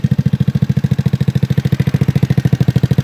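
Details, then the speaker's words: 2004 Yerf Dog GX150 go-kart single-cylinder engine running: thumping about ten beats a second with a light tap each stroke, valve tap from lash out of adjustment; starts easily but still breaks up at mid RPM. "Now you can hear her run. Like I said, she's got a little tap."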